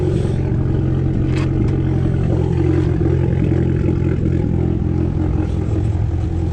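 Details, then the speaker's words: 2012 Fiat Abarth at idle: rough, lumpy idle with the rumble breaking rhythm, a bad misfire; coil packs were replaced earlier, and the cause is suspected but not confirmed. "alright guys so I was a car starting up it's so I'm pretty good with you know the misfire it's terrible"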